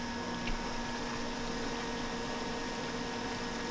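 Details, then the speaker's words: 2015 BMW M3 (F80) after oil pan gasket replacement, bleeding coolant with low beams on, heater full, fan low: faint steady whine of the electric coolant pump, washing-machine-like; pump working and bleeding normally. "the coolant pump which is right there making a little whining noise we know that it is indeed working and bleeding the system sounds like a washing machine"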